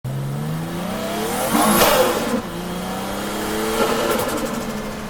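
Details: Drift car engine under throttle: revs up and down hard with an uneven, stumbling note; misfiring under load, cause not pinned down.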